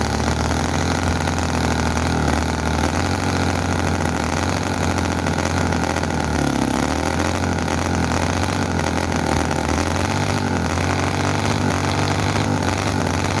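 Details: Chinese commercial model V-twin engine, possibly the Cison FG-VT9 9cc or Microcosm R28 4.3cc, freshly oiled. Loud, ragged, racing far too fast rather than a slow idle, with explosions and oil coming out; fuel tank thought inadequate.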